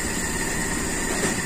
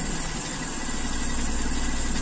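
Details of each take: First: Toyota Kijang Super carburettor engine, cold: slow, mostly even idle with a faint occasional stumble, caused by idle speed set too low on the carburettor, though judged okay. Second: Toyota Kijang Super carburettor engine, warm after running a while following the air-leak repair: smooth, even low idle with no hunting, misses or surging; idle holds steady and healthy.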